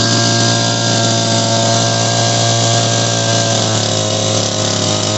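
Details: Shindaiwa PB270 gas power broom two-stroke, after carburetor repair, fired: steady high-pitched drone at even speed with no stumbling or misses; runs smoothly.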